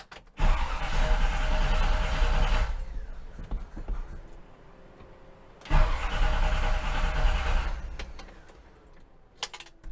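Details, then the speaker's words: 1957 Chevy revived after sitting, with the choke held open by hand: it catches, runs about two seconds, loads up and dies, twice over, then won't crank. Fuel delivery was fine; a stuck carburetor float was found, and tapping the carburetor freed it. "That's interesting. It ran, it loaded up and died, and now it won't crank."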